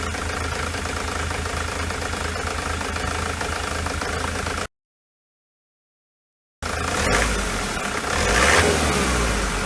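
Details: Ford Transit with a 2.4 TDDI Duratorq diesel: uneven, stumbling idle beat of about four per second, then a throttle blip; misfire at idle and at partial throttle or light loads.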